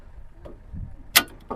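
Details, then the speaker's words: Motor starter after cleaning dust and ant debris from the contactor's magnetic core and refitting it: single crisp clack as the contactor pulls in, then near silence with no buzzing or hum; hum noise fixed. "तर आता बघा पूर्ण आवाज बंद झाला तुम्ही एकदम जवळ जरा सुद्धा त्याचा आवाज ऐकू येत नाही"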